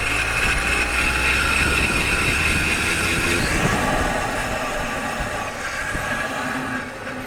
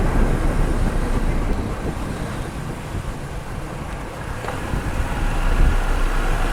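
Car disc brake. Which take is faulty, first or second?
first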